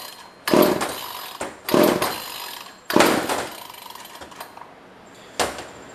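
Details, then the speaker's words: Old pre-1990s two-stroke chainsaw with no air filter fitted and no primer: three rough pull-start rasps about a second apart, each dying away without catching; cranks but won't start, spark not yet checked. "Yeah, I don't see that running, and I don't see a... Oh, I wonder if it wants to be throttled."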